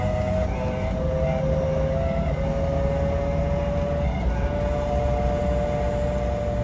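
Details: BMW 635CSi E24 driving: steady whine rising with road speed, not rpm, over road rumble, seeming to come from the engine area, quieter under load, gone when hot; fixed by a new drive shaft center support bearing: worn center support bearing.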